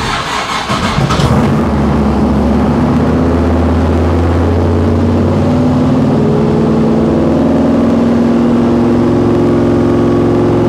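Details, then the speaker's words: 1955 Chevy Nomad small-block with dual Holley Sniper EFI and tunnel ram, restarted after a tuner reset with the wrong Sniper selected. It climbs to a steady 2700 rpm and stays; the throttle idle screw is set too far in, and the owner also suspects a vacuum leak from unplugged ports. "okay well it's revving the 2700 RPM so obviously that is not the plan and now is not the time to figure this out"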